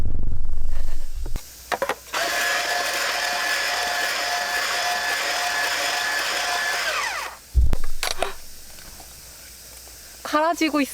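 After a click, a rough grinding with a steady motor tone holds for about five seconds as the shaver cuts the ice properly.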